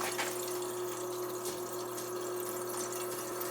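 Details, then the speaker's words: Oil boiler replacement, new boiler being filled: steady hum with sputtering, gurgling water surges through hose as trapped air purges from the hydronic heating zone; a kinked hose was also found. "There's air in there. Here comes the air. See the hose? That's air."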